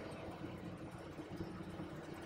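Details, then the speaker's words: Rayco C120 120 hp purpose-built machine, diesel, just after start with parking brake set during warm-up (10–15 minutes minimum, half hour in cold weather): steady even idle with low smooth rumble, no knocks or misses; normal idle. "immediately when the engine starts you want to let the unit run you want to let the unit run for a minimum of 10 to 15 minutes in Colder Weather let it run for at least a half hour get all the fluids warmed up"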